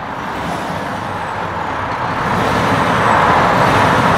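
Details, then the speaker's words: MAN TGS 35.420 8x4 tipper, 420hp 12.4-litre straight-six diesel, ZF TraXon 12-speed automated gearbox, fully loaded, heard through the open cab door: deep, even diesel rumble swells smoothly on a couple of revs, no knocks or misses. "But yeah, I'm just going to start it up just to give you a sound of the engine."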